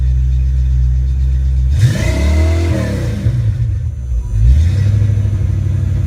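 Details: Ford Mustang 5.0 mass air V8 running a rebuilt A9L computer under test: settled 800-900 rpm closed-loop idle, then clean rev climbing and falling back and a second smooth blip, no stumbling or breakup.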